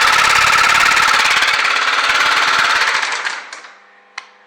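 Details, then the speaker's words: First-generation BMW F650 single, rusty after sitting and sold as having a rod knock, run briefly low on oil before refilling: a loud, rapid, even hammering at about 3–4 per second. The owner suspects the timing chain rather than the crankshaft; unconfirmed. "I can hear knock but I don't think that this knock is the crankshaft I think this knock is the timing chain"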